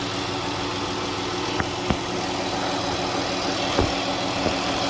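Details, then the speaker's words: 2012 Chrysler Grand Caravan 3.6L, after replacing an internally shorted alternator that cooked cables: smooth, even idle with only a few stray ticks and no sizzling or rough note. Runs normally now. "a new alternator down in there [Music] and now it's no longer is doing what it was doing before"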